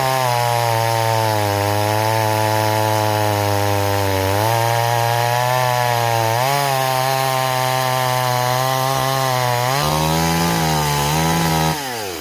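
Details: Stihl 026 chainsaw returned as a no-start, cutting in chilly weather: steady high rev that sags and wavers under cut with soft blubbery edge; running too rich, rakers also filed too low.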